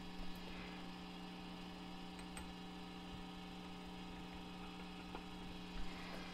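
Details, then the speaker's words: Old single-ended 3W reel-to-reel conversion tube amp heard through its internal speaker. Steady low hum with a buzzy edge and faint crackles from a microphonic tape-head preamp tube on a shock mount; pulling that tube removed the noise. "Wow okay that one's pretty microphonic right there that's the one that has the shock mount in it"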